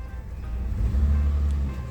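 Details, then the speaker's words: 2019 Toyota Avanza, not tuned up for two years: rough, uneven rumble on a light throttle blip after a flashing check-engine light and stumbling at 100 km/h entering the toll road; DTC P0304, cylinder four misfire, ignition suspected faulty. "iya nih rasanya sih kayak ini ya kayak pengapiannya enggak benar"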